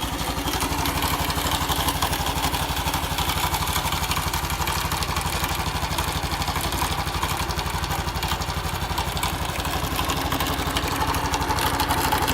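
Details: Honda Cross Cub small single: light, even clatter at about four beats a second over the idle; abnormal engine noise, cause unclear.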